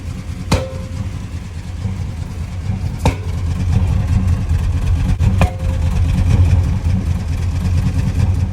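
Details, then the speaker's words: 1997 Chevrolet Silverado 1500 2WD, 5.7L Vortec V8, under light load: V8 rumble with sharp irregular exhaust bangs every few seconds, P0300 random misfire code and service engine soon light; a cracked distributor cap is suspected. "does have the service engine soon light on so we'll plug the scanner into it and see what it reads there but I can feel it's uh dropping one cylinder misfire"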